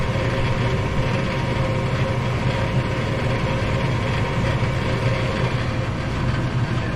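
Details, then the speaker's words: Furnace running after replacing a seized, worn-out draft inducer motor, heat coming out the vents: steady, even low hum with a constant airy rush, no knocks or squeals; normal operation. "It sounds like it's running pretty good."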